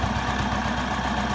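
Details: Honda Wave Alpha single-cylinder bored to 52 mm and rebuilt two days earlier: steady, even idle with a smooth low beat and no knocks or rattles, exhaust smoking slightly. Its reported fault is a cylinder noise when the engine runs hot, which is not heard here.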